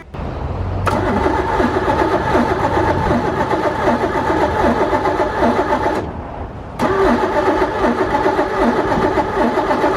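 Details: 1985 Pontiac Fiero kit car abandoned 15 years, Ferrari Testarossa replica, with fuel pressure confirmed: two spells of brisk cranking at about four beats a second that never catch, a crank-no-start; the owner suspects no spark from the pickup coil.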